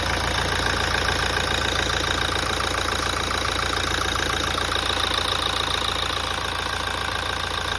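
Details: 2017 Toyota at idle after a major service. Steady fast tapping at roughly three or four a second over an otherwise even idle: an abnormal knock-like noise, cause unknown.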